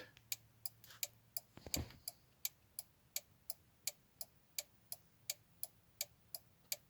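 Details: Audi A4 B5 early prefacelift turn signal relay and hazard switch, working again after cleaning fouled contacts; crisp, even relay ticks at about 85 per minute, steady beat, nothing missing, flasher relay working normally.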